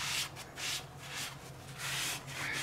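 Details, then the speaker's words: Subaru Forester rear drum brakes with about 240k miles, possibly original drums, replaced with new shoes: soft scraping rub comes and goes as the drum is hand-turned, the shoes lightly touching the drum, correctly adjusted and expected to self-adjust over time. "so what you're going to listen for is that noise that means you're drums or your shoes are making contact"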